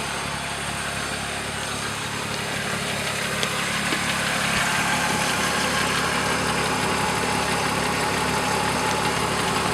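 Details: BMW E36 M3 S52 at idle: light metallic rattle about three per second, louder from underneath at front of the motor; timing chain rattle suspected, unconfirmed.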